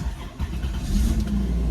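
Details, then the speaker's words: 2005 Chrysler Pacifica 3.8L with no-start and no PCM communication, after wiring ground fault fixed, PCM programmed and battery boosted: starts and settles to steady even rumble; normal start and idle. "ya está ven todo perfecto todo programado"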